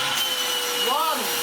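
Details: Goblin Solo vacuum cleaner after full refurbishment, with the broken original motor bodged and the bag door resealed, running with filter removed: steady high motor whine holds an even pitch with no rattle or scraping; running smoothly.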